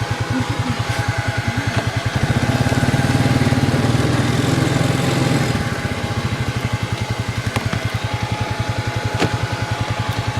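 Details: 2002 Arctic Cat 300 ATV, 280cc oil-cooled single: even, steady exhaust pulses at idle rise smoothly with the throttle and drop back cleanly; it runs great.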